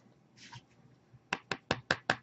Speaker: you hear that the battery rattles okay so this is a 23 millimeter mod with really thin walls